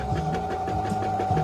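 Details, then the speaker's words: Brother sewing machine running very tight: harsh labouring rattle and uneven thumping as the lower shaft bushing turns with the shaft instead of staying fixed, binding and stopping the machine; fix is removing the shaft and freeing it. "Otherwise, while this bushing is turning, there's a problem here. As soon as I make this a little tight, the machine will stop right away and it's gonna start making big noise,"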